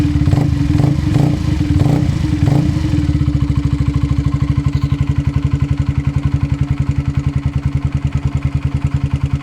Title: honda CBR 125r 2005 making a small ticking noise is it my cam chain tensioner? or my valves?